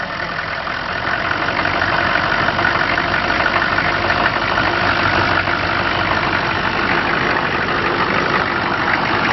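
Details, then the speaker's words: Hot restart of the TurboWeasel diesel truck after driving 5 miles with a newly fitted PMD: it died while coasting in a parking lot, and the starter gives drawn-out even churning, about three beats a second. Not overheating, charging weakly; cause unknown. "Drove 5 miles to a Subway sandwich shop, coasting in the parking lot, and just dies. No idea what's going on. Crank her up!"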